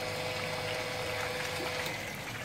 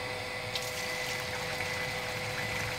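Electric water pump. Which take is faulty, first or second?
first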